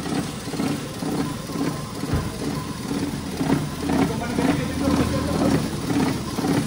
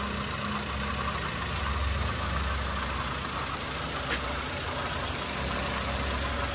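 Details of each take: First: Engine idling with heavy vibration and uneven, breathing, lumpy running, stumbling about twice a second; exhaust smells sharp, fuel not burning well, spark plugs reportedly new; misfire traced to chewed oxygen sensor wires shorting together. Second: Toyota Avanza engine after rebuild for knocking: new liners, piston rings, connecting rod and main bearings, valve seats redone; now quiet, smooth, even running during break-in, previous knocking gone; normal engine running.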